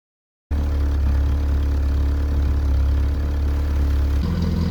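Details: 1981 VW Rabbit with 1.8 swap, after installing 4-2-1 dual downpipe and thrush muffler to fix suspected front manifold leak; deep steady idle exhaust drone, no ticking or puffing at the joints: normal, sealed exhaust note.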